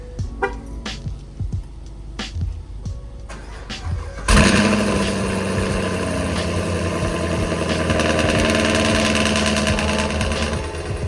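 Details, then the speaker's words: Camaro SS 1LE V8 with headers, cold start after fitting a DSX flex fuel (E85) kit: clicks, then it fires at once into a loud, steady high idle; clean, healthy start with no check engine light. "We're gonna do well, you guys could hear it like a cold start with the quick headers."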